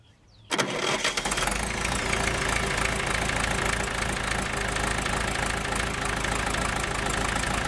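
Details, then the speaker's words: 1965 John Deere 450 diesel after tensioning the alternator/water pump belt to about 1/2 inch deflection: quick start, then a steady, even idle with no belt squeal or slap; runs clean and healthy. "Man, that thing runs good."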